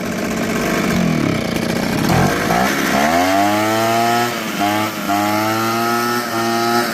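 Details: Ryobi backpack blower two-stroke that had only run on choke due to water in the fuel; after removing the water and cleaning the carburetor it starts in one pull and holds a steady buzzing pitch, running healthy off choke.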